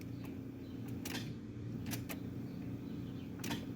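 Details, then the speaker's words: Sharp single starter clicks at the key with no cranking; voltmeter on positive battery cable to starter shows 0.2 V and no voltage drop, so cables are fine: bad starter. "and that volt meter is not changing which means we do not have voltage drop uh this is simply just a bad starter"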